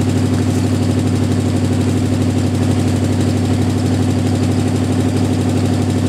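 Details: Jeep M715 army truck converted from fuel injection to carburetor, running after years unused: steady, even idle with regular low thump about twice a second, no misses or knocks; normal idle.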